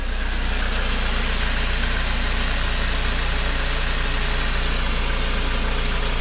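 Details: VW MK5 Golf 1.4 TSI twin-charged, first start-up after water pump and supercharger clutch replacement, coolant being filled and checked for leaks, not yet warm: smooth, even idle with a steady low rumble, no knocks, ticks or misses; sounds good, check engine light on.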